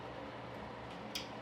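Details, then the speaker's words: New Panasonic WhisperCeiling 70–90 CFM bathroom exhaust fan switched to speed 1: a quiet, steady low hum with no rattles or ticks. It runs normally. "I can turn it to 1. So now it's on speed 1 right here."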